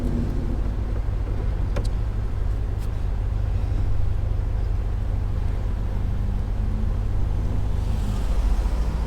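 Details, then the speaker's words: 1979 VW Super Beetle, no longer fuel injected, back on the road after brake work, idling hot: steady, even idle with no misses, but the revs hang a little high. "I dropped the idle a little bit it sounds like it's a little high"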